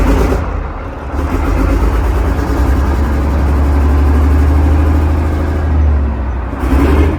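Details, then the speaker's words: Engine in a Chieftain Mk10 tank, once considered a write-off, given a tiny bit of revs: deep, even rumble swells smoothly with a little throttle and settles back; running very well, possibly low on fuel. "For an engine that we first considered a complete write-off, it was running very well."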